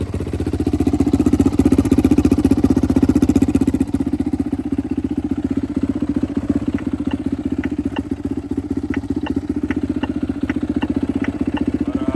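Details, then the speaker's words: Rebuilt turbo Yamaha YZ450F now 500cc on E85 with drive-by-wire throttle body, restarted after being put back together, starts easily; catches and settles into a quick even thump about four beats a second, healthy idle. "I'm just happy to hear it run again. It definitely starts a lot easier than my last setup, which I don't have an explanation for."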